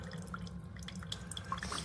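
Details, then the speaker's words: Chefman single-serve K-Cup coffee maker brewing: soft irregular drips over a low steady hum, quieter than a Mr. Coffee; normal quiet operation. "It's quiet. It's actually quieter than this one. It's quieter than the Mr. Coffee, so that's good."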